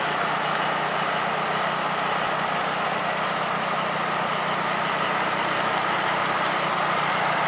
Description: Injectors ticking?